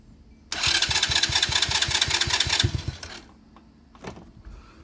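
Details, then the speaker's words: 125cc ATV, no-start fixed (relay, ignition switch, plug, carburettor, intake manifold, battery, rectifier, fuel line and filter replaced; rusty tank flushed), started on choke: catches at once with a quick, even beat. Clean cold start. "set the choke [Music] runs pretty good had to flush out the gas tank it was full of rust"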